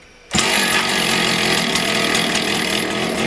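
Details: Motor Sich 270 chainsaw that would not start, first start after replacing the ignition coil/module; it catches at once and settles into a steady, even high buzz at low revs without throttle, running fine.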